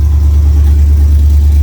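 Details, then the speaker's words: LS-swapped OBS truck V8, cold, not yet warmed up, after a spark plug check for a first-start misfire: deep, steady rumble at a raised idle, no skips. Idling a lot better; normal cold idle. "all right I'll wait till it warms up and we'll see how it sounds then seems to be running a lot better idling a lot better"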